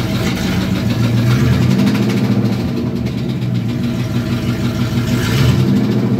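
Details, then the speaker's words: Truck idling in neutral with a rapid deep knock about three a second that disappears in drive and reverse; torque converter bolts checked tight, owner suspects a snapped rod. Not confirmed. "so I already crawled under the truck and check the torque converter bolts torque converter bolts are tight but it doesn't do it in gear I almost think the rod snapped"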